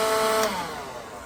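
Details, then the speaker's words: Used battery-powered leaf blower tested in a pawn shop: a brief, even high-pitched motor whir with fan rush, then a clean wind-down; it works. "All right. Well, I mean, it turns on. Sounds good to me."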